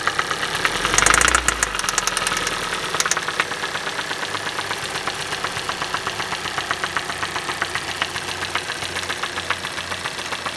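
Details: Hyundai i40 2.0 petrol automatic at 60,000 km: sharp, fast ticking knock over the idle at a steady rate. Strange engine knock, source not identified.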